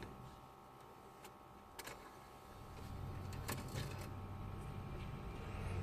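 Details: Renault Modus radio/CD unit that would not read CDs, after repair and refitting to the car; faint clicks then a steady soft motor whir as the disc is drawn in, CD then plays: normal CD loading.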